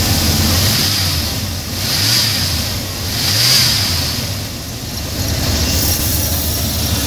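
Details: 1990 Ford F150 after throttle cable install: engine idles and rises smoothly three times as the gas pedal is pumped, dropping back cleanly each time; throttle responds normally.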